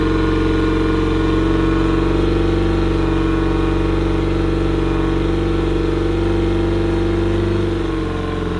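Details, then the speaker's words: Yamaha pontoon outboard after carburetor cleaning, with the fuel tank vent opened: a smooth, steady idle with no misses over an extended run, easing slightly at the end; normal idle. "well whatever was giving it a hard time appears to have passed through the system I let it run for a good amount of time there and it didn't seem to miss it to beat"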